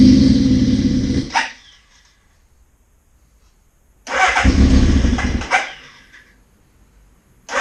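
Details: 1981 Suzuki GS650GL during rebuild with new battery, plugs, oil, filter and pod filters, on choke: short bursts of running and revving with silent gaps between; bike fires up and runs normally after revival, small carb fuel leak suspected.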